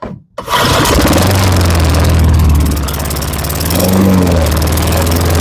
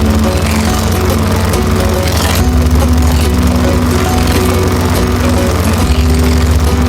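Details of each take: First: Lawn-Boy 10671 push mower, Tecumseh 5TPXS engine, first start after repeated start-and-die: catches after a gap, then runs loud with uneven wavering beat and surging; smoking, thought to be old oil in the exhaust, and stuttering. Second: Lawn-Boy 10671 push mower with Tecumseh 5TPXS engine, warm, after carburetor cleaning (previously smoked and only ran on carb spray): steady low single-cylinder drone at even speed; running normally, slight vacuum leak on exhaust side.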